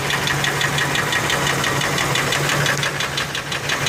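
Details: Ford F150 4.6 two-valve V8 at idle with a steady, even, deep knock about three per second; not the lash adjusters, possibly rod bearings, though owner thinks it comes from the clutch (broken spring?); unconfirmed.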